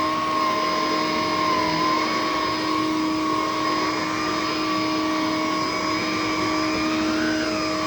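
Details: A used vacuum (possibly the Electrolux, dated about 2001) gives a loud, steady motor whine at constant pitch with a slight wavering note and airflow rush behind it. The cause is unknown; the owner is unsure whether it is normal for these Electroluxes.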